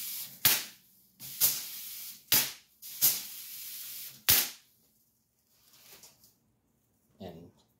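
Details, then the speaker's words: Ion lifter high-voltage supply: sharp snaps and steady airy hiss from corona discharge at the eighth stage of the six-stage multiplier output; dielectric grease applied to try to quiet it. "the eighth stage was actually having some Corona discharge so that's why you actually hear the hissing"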